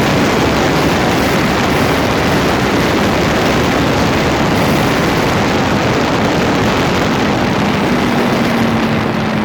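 A rough, gritty roar fills the drive with a faint rising tone late on, grinding from around the front differential.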